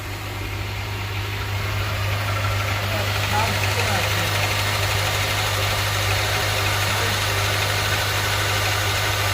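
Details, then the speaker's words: Honda Elysion K24Z4 after replacing all spark plugs, belts, pulley seal and front crankshaft seal: even, steady low idle hum with no ticking, knocking or misses, no oil leaking; normal idle. "Бәрі нормально. Бәрін жинастырып болдық. Тамаша жұмыс жасап тұр."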